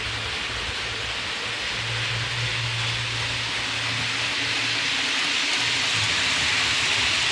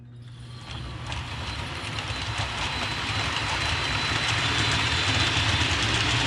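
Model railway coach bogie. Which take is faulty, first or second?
second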